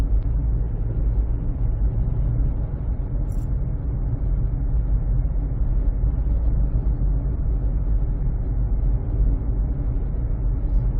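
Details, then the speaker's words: 2007 Honda CR-V driving after its cupped, flat-spotted tires were replaced with new Bridgestone Ecopia: steady low cabin rumble of smooth tire roll; the earlier rhythmic tire noise is gone. "okay now the tires have been replaced and uh I feel that definitely there's a big Improvement and the sound is gone"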